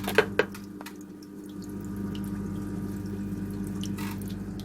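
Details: Aquarium sump seam leak, before the Flex Tape repair: a steady low pump hum with a soft trickle and a couple of drips throughout.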